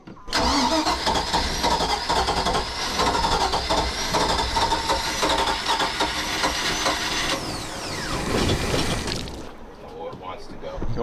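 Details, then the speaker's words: Carbureted Mercruiser 5.7 V8 swapped into a 21 ft Maxum boat, started cold: long uneven cranking with a few stumbling catches before it finally fires; the choke is acting up, causing the hard cold start. "the choke is acting up so it would actually uh yeah I did not want to start cold"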